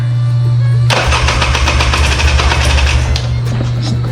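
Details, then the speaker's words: 1997 Polaris Scrambler with new spark plug: engine turns over and catches in ragged, uneven bursts but never settles into a run; not getting fuel. "it's definitely trying to start it's not getting gas it sounds like a giant turd I took the carburetor off and cleaned it they had a bunch of water in it"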